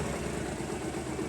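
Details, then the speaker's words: Honda CB250 cafe racer, with the idle adjustment cut and sensitive to air leaks. Steady low even putter with no misses or knocks; a small single settling into an acceptable idle that sounds slightly better, though set a bit low. "Although it's idling alright. I think that I'm pulling the throttle. I think this sounds better."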